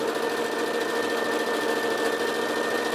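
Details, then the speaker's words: Sewing machine on straight stitch after repairing a knocking and dragging fault on zigzag: steady, even whirr with a light regular needle tick and no knocking, stitching cleanly top and bottom. "стрижка нигде не стучит строчка смотрите идеально и сверху и снизу"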